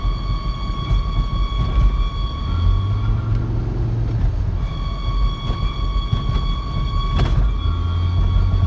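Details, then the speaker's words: Volvo V70 XC: a steady high-pitched squeal over road rumble while driving. It drops out briefly, then returns, and is absent at idle, so it occurs only when rolling; running-gear squeal, cause unidentified. "No noise at idle. I guess it's only when the car is rolling."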